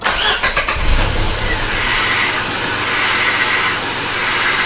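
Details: Venucia (启辰) car, manual clutch pedal pressed at idle: steady high-pitched rough hiss appearing with clutch down; clutch release bearing dry from lack of grease, confirmed after gearbox removal and replaced.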